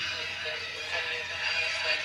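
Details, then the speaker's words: Vintage Sanyo M Z30L radio cassette after capstan refit and mechanism oiling, on mains: steady, clear cassette playback with no wow or flutter; works fine, heads still want fine tuning. "And as you can hear there, seems working fine. Just wants fine tuning the heads."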